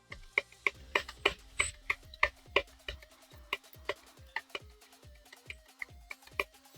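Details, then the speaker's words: Toyota Prius 1.8L engine disassembled, connecting rod from an engine run with a bad head gasket rocked by hand: sharp metallic clicks about three a second; excessive rod bearing play, rod knock. "That's a rod knot. So if you have one of these 1.8 liter Toyotas and it's misfiring on startup, setting codes for misfire, and you got that rattle at first startup, the engine rocks around and misfires"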